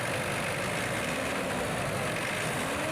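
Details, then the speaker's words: Mitsubishi Pajero Sport Dakar diesel with a variable-geometry turbo, after cleaning the VGT solenoid and socket for a loss of power: steady diesel run with a clean whistle rising as the throttle opens; turbo spools smoothly, VGT working properly. "ya pergerakannya dari vgt bariabel geometri body Mitsubishi Pajero Sport Dakar ini nah ini yang menyebabkan tenaga engin kurang karena vegetasinya tidak kerja jika ini bisa naik turun saat dia grasi menandakan bahwa tubuhnya bekerja dengan baik tenaga engin dijamin Mantap salam"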